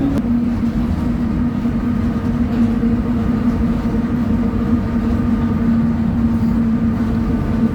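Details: 2007 Torino bus, Mercedes-Benz OF 1722M chassis, Transol line 235, driving at high revs: steady low whine at fixed pitch over the engine drone; suspected worn rear differential, not confirmed.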